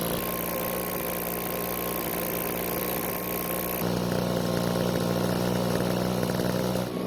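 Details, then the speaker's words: Backpack blower on a test run after carburetor reassembly with the check valves not parallel to the diaphragm: a flat, labouring drone that lifts slightly but never clears to full revs, showing bogging from misaligned check valves. "after we get the carburetor back on the engine i'll try to test start the engine remember this is a test run to show you what happens when the check valves are not parallel with the rest of the diaphragm"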